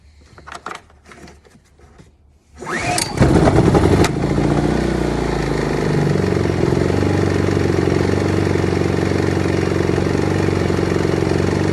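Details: Generator being serviced; after backfire and a pull start, a few fumbling knocks then it catches with a rush and settles into a steady even drone; running properly.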